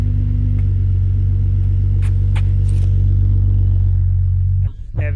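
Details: Acura TL with 3.7 V6 and Endless RPM aftermarket exhaust, morning cold start: deep, smooth rumble holds steady then drops off cleanly on throttle, even firing, no knocks or rattles; normal cold start and revving.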